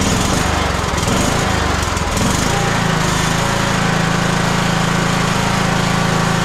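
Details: Husqvarna YTH21K42 lawn tractor single-cylinder engine after clearing hydrolock from a stuck carb float, with oil changed to 10W30; comes up to speed and holds a steady even drone with no misses, knocks or surging.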